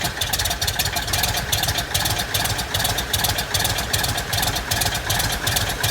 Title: First start in our 67 Citabria restoration. 😎